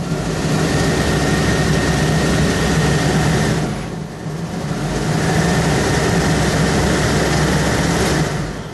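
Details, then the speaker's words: 1976 Corvette restomod with newly installed Holley Sniper EFI, at first ignition key-on: steady loud blower roar with a thin high whine, A/C running and drowning out the fuel pump. Owner suspects fuse 4 controls it; not confirmed. "Okay, I hear the air conditioner, and it's so loud I can't hear the fuel pump."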